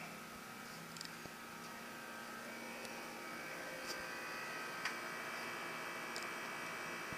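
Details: AC unit after cleanup and sealing leaks with 3M HVAC tape: quiet, even airflow hiss with a faint steady hum, no rattles or surging; running smoothly and healthy.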